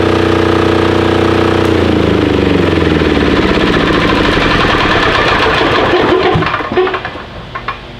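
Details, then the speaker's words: Titan 7500 W single-cylinder diesel generator, revived non-runner, started with compression release on a weak jumper box: steady rapid clatter about three beats a second, holds even then winds down; running normally. "i had to use the compression release because man it hit hard that could be because our jumper box isn't that great man that sounded good try it again set her to run"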